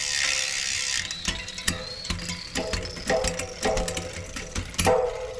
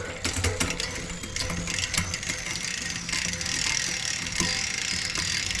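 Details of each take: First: Shimano 11-speed rear derailleur just replaced with a new hanger and shifter cable, shifting through nine gears. Crisp shift clicks, then a rough grind on the big cogs: the B-limit screw leaves the guide pulley too close, and about 5–6 mm is needed. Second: Shimano 11-speed drivetrain after derailleur, hanger and shifter cable replacement, B screw adjusted and gears indexed, camera close to the wheel: quick run of clean clicks across the cogs, no grinding or chatter; smooth shifting.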